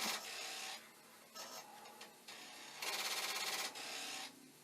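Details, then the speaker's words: Commodore 1541 disk drive repeatedly failing to initialize or read a disk: harsh rattling bursts about three knocks a second as the head slams its stop, after about 1500 attempts. "i have been torturing this destroyer and we're now up to 1500 i'll wait for it 12 times that it has tried to initialize or you know read a dish and it's not doing well"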